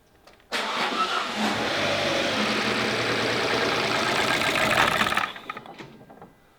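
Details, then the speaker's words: High-mileage Alfa Romeo with no compression, first start: brief crank, catches almost at once, steady fast idle; clean healthy start, though a squeal follows, source unknown (alternator or timing belt suspected). "Wow, that turned over really quickly. And I did not expect that. That I've never had one start so quick."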